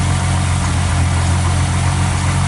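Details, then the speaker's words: Mercedes-Benz 300SE during gear shift repairs: deep, steady rumble at an even idle with no knocks, ticks or misses; engine running smoothly and healthily. "No leaks, nice and quiet, can't even hear it running, and it's pumping at the right pressure and the right volume, 1 litre in 15 seconds."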